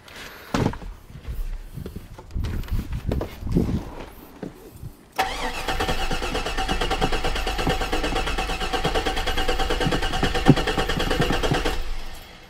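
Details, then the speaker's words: 2002 Chevrolet Avalanche with a suspected fuel issue, after replacing the dead battery: starter turns the engine steadily for several seconds but it never fires; crank no start, fuel pump power being checked. "okay so now we have a crank no start and pretty much I just wanted to double check and make sure power was going through the fuel pump"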